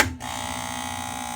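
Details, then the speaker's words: Vox AC30 CC2 tube amp: harsh steady buzzing hum rises right after switching off standby; owner unsure, suspects a tube or the rectifier, not confirmed. "noise comes up could it be a tube I'm not sure it sounds like it's coming from this unit right here the rectifier"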